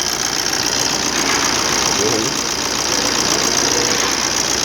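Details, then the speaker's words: 2013 Maruti Dzire diesel after the injector 1 circuit fault (P0201) was repaired: steady, even idle clatter with no stumble, MIL off, no code returning, and engine vibration reduced to normal. "देखो engine आगे vibration होता तो vibration कम ये आम tapping कर normal लगे"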